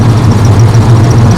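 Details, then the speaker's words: 1970 Chevrolet C10 V8 rescued after 10 years parked, now with a new full exhaust system, idling in the shop. It gives a deep, even burble with no ticks or stumbles. It runs good, purring like a kitten. "she runs good because it's here and carter's like a kitten"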